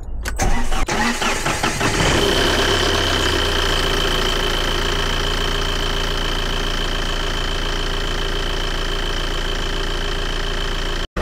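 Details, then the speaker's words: Used Tata Safari Storme diesel, cold start with clutch pressed: cranks, catches quickly, settles into even diesel clatter with no rattle, squeal, shake or excess vibration; normal engine sound. "तो मेरा मतलब है कहने का कि जैसे ये भी इसकी नॉर्मल साउंड है, ठीक है, कोई इंजन ज़्यादा वाइब्रेट भी नहीं कर रहा,"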